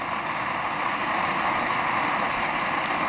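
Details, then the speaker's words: Dual-fuel pressure stove on unleaded gasoline, fuel fully vaporised after preheating: steady, even hiss-roar with no sputter or surging; clean flame, normal but noisy running. "and that's quite a clean flame burning there you might also note that it uh yeah it's pretty noisy"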